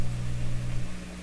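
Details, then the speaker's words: Sparton 1567 tube radio during an IF alignment check: steady low mains hum with a faint buzzy overtone, then it drops away; the hum comes from the test hookup, not the radio. "so those hums are inherent in my my hookup here"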